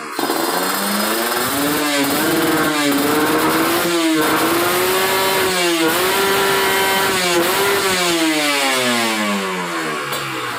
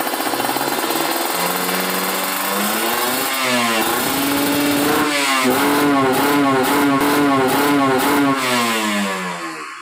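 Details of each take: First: Ninja RR two-stroke with PWK30 carb, main jet 140 (stock 138) after adding a ground "kabel setan" wire, free-revved, engine just started: crisp repeated blips climbing cleanly to high revs, no stumble, limiting below 13,000 rpm; normal. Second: Ninja RR two-stroke with PWK30 carb, re-jetted rich after fitting a ground "kabel setan" wire, revved free on a stand while still cold: revs climb cleanly, then choppy and stuttering, limiting before 10,000 rpm instead of 12,000.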